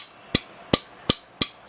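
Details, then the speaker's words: 2001 Yamaha RX-135 engine, stored two years, disassembled: five sharp metallic clicks as the connecting rod is tapped with the crankshaft held, showing big-end bearing play. Connecting rod, bearing and crank pin need replacing. "To check the play in the big end bearing, hold the crankshaft like this and hit the top side of the connecting rod. If if you hear the clicking sound, then there is a play. As you can see, in this case, there is a clicking sound."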